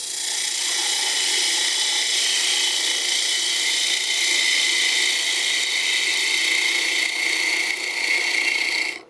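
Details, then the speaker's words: Woodturning spindle work on a bead and cove stick: gouge held level gives a loud, harsh steady hiss with ringing, fighting resistance; an arcing cut toward center is much quieter and cleaner. "Now the reason I do that is it's the path of least resistance, and you can hear that path of least resistance if I hold the tool level and you listen to the cut."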